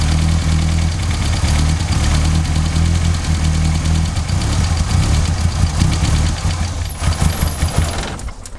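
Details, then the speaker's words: MK2 Golf GTI (KR 16v) that keeps cutting out, started on a freshly charged battery: catches, but idle hunts, swelling and sagging unevenly before dropping off; idle stabilisation valve checked first. "so as you can see it was hunting one of the first things we need to do is basically check the isv idle stabilization valve"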